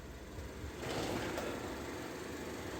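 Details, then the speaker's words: 2019 Peugeot 5008 1.6 THP turbo, customer complained of noise on first morning start, after oil check-valve replacement: steady, even idle while warming up, with no knocks, ticks or rattles; normal. "Peugeot 5008 já tá funcionando vamos deixando aquecer aqui agora"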